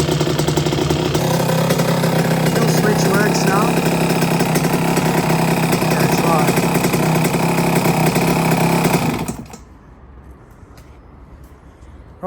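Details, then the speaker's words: 1982 Suzuki RM125 two-stroke, restored engine during heat soak with homemade silencer, owner to check oil for water: crisp regular idle about four pops a second, steady until killed; sounds really good, healthy. "Sounds really good. I really miss this sound."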